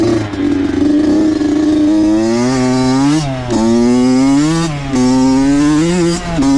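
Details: Honda CR80 two-stroke, Keihin PWK 28 carb swapped in for the stock PE 28 over rich-running jetting issues. Crisp buzz rises and falls cleanly through repeated revs, no bogging or misfire. Owner says it runs good, maybe lean; the real culprit was the spark plug.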